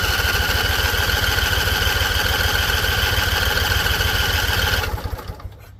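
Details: Husqvarna Z254 with a swapped engine and carburetor new a couple weeks earlier; spark confirmed. Fast steady cranking, three to four turns a second for about five seconds, no catch; owner suspects flooding. A loose plug end was found afterward.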